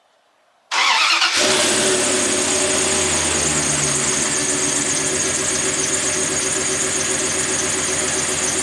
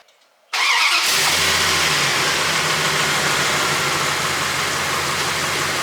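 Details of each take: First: 1998 2nd-gen Dodge Ram 1500 at cold morning start-up: loud steady high-pitched squeal over idle from a slipping serpentine belt, getting louder daily; belt and tensioner pulley to be replaced. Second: 1998 Dodge Ram 1500 after installing a new serpentine belt and tensioner pulley (previously squealing louder every cold morning start): cranks, catches and idles steadily for 2–3 minutes with no belt squeal or chirp.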